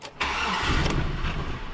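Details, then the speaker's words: Older Chevy truck/SUV, suspected PCM wiring damage (rodent damage common): engine catches with a burst on cranking, runs roughly about a second, then dies; check engine light goes out afterward, indicating lost PCM communication; starts then immediately stalls. "there you go so you can probably hear it fired up for literally a second and then it died"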